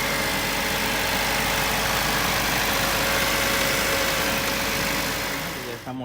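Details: 1990 Acura Integra 1.8 petrol engine idling after repair of a noise from the upper left of the engine: even hum and faint hiss, no squeal, knock or rattle.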